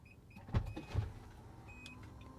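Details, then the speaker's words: Nissan Armada power liftgate opened by holding the key fob trunk button: a couple of soft thumps, then quiet steady motor hum as the tailgate lifts; normal power liftgate operation. "And what's going on right now is that the trunk is opening. All right. It opens up like that."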